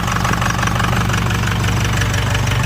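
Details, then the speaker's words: Cheap, neglected Ford Super Duty 6.0 Power Stroke diesel, just started with starting fluid: loud, clattery, harsh idle, noisier than a 7.3, smoking, with the check engine light on; the cause is not yet clear. "She's a smoky girl. Does not sound the best, but she runs. Jesus Christ, that's noisier than a 7.3."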